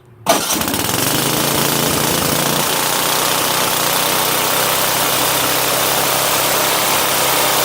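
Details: Snowblower engine after carburetor replacement and readjusting a mixture screw that was out too far and flooding it (now three-quarter turn out), choke on, throttle just above idle: catches at once, fast steady even beat, no stumbling; starting and running normally.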